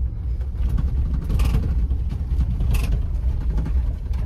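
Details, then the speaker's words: Ford Bronco (new SEMA build) on a mild off-road trail near Mammoth: irregular light knocks and rattles over deep rough road rumble from the factory spare tire shaking on its rear-door mount. "if you hear that rattling back there that is the spare tire the bronco spare tire is mounted on the rear door similar to how a jeep spare tire is mounted on the rear door from the factory"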